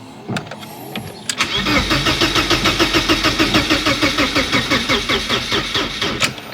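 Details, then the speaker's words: 1991 BMW 318i E30 that had not been driven in years, first start attempt; starter turns the engine over sluggishly and unevenly at about three pulses a second, never catching; owner suspects a dead battery. "Oh no. Alright, we'll have to get the battery charger out."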